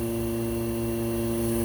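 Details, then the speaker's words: Vacuum pump stuck at 18, not pulling deeper, while a sump pump on the same long extension-cord circuit adds amperage and has been tripping the breaker; steady motor hum and constant buzz with no change in pitch. "so she's not sucking still at 18"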